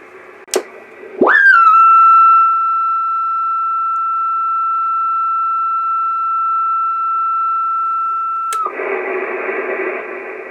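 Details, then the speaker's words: Yaesu FT-901DM transceiver: after cleaning a relay contact that was opening the audio circuit, clean steady tone then band hiss; receiver audio restored and working normally. "one of the connections wasn't making a contact and that was uh opening the circuit to the audio so I got audio"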